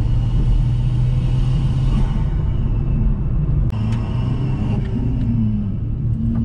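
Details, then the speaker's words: Big-turbo swapped second-generation Chevrolet Cruze running about 30 psi, on a road drive: lifting off brings a rapid fluttering chuff from the intake over steady engine drone, the turbo struggling on deceleration, compressor surge. "i don't know if you guys can hear this noise right there that's the turbo struggling"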